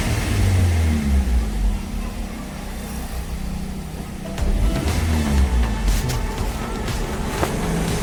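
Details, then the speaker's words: Maruti Swift Dzire VXI at about 1000 rpm, no pickup: low engine beat runs rough, stumbling and dipping when revved, with heavy misfiring. Another workshop's air filter and ignition coil replacement didn't fix it. "ಇದು ಏನಕ್ಕೆ ಬಂದಿದೆ ಅಂದ್ರೆ ಗಾಡಿಯಲ್ಲಿ pickup ಇಲ್ಲ ಆಮೇಲೆ miss firing ಬಹಳ ಇದೆ ನೋಡಿ ಇವಾಗ ಶೆಲ್ ಹೊಡಿತೀನಿ"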